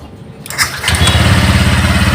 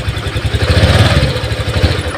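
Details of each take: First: Honda Vario 125 LED that often would not start, blinking MIL code 12 (injector), after temporarily reconnecting a wire: short crank, catches within half a second, steady even idle; easy start. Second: Honda Vario 125 LED scooter idles unevenly, surges and stalls when throttle is opened. MIL code 12 appears when it won't start; the fuel pump hum is weak and intermittent although the pump and injector get 12 V; cause not confirmed.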